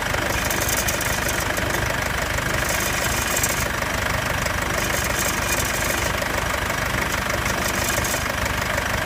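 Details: Mercedes C220 CDI W205 diesel, built 3/2015, after cold-start phase: light metallic rattling, clinking ticks about three a second over idle; cause not pinned down.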